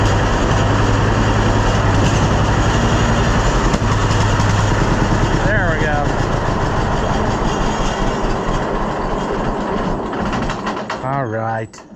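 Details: John Deere B two-cylinder tractor, not run in about 6 months: slow even putt-putt for several seconds, then fades and stumbles to a stop as fuel is shut off and runs out; sounds healthy.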